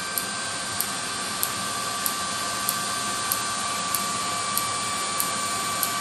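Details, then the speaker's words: 30k BTU multi-fuel personal cab heater on M35A2 deuce-and-a-half, during start-up: steady fan rush with crisp ticks about every 0.6 seconds, normal fuel metering valve spraying fuel into combustion chamber. "so what i'm gonna do is i'm gonna hold this down and you hear it start spinning and that clicking is the fuel metering valve spraying fuel into the combustion chamber"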